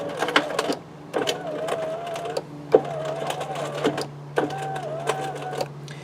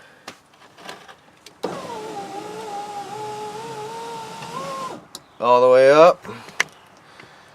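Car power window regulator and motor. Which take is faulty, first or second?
first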